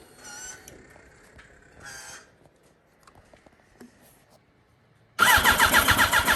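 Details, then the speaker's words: Wrecked 2006 Yamaha R1, long unused, donor 2005 R1 battery and tank: long quiet spell, then loud rapid pulsing crank with a few cylinders catching but never running, draining battery; cranks but won't start, cause unconfirmed. "It keeps killing the battery. So it doesn't want to start, but it keeps firing a couple cylinders, so I think it wants to start."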